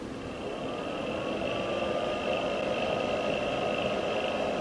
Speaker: You will hear that the fan in the power supply is quite noisy. This is particularly problematic when the ambient temperature is quite warm.